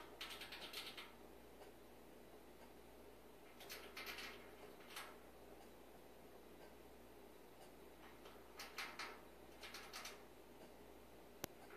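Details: Samsung gas range switched off, at 4am in a quiet room: short scratchy clicking bursts come and go irregularly; cause unknown.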